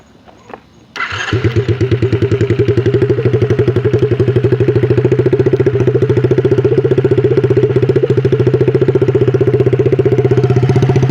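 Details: Single-cylinder quad (ATV) after diagnosis of an internal engine problem, test run to check for cam rubbing using nail polish marks: fires up right away and settles into steady, even putter with no scraping or rubbing; runs healthy.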